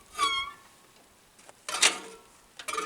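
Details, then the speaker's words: Farmall B tractor with cylinder head refitted, water neck not yet bolted: short scraping squeals in bursts about a second apart as fan turns; fan blade rubbing the loose radiator shroud, apparently long-standing. "yeah that Fan's rubbing against the radiator because it's not bolted down that's bad oh is it the radiator or the Shroud it's the Shroud"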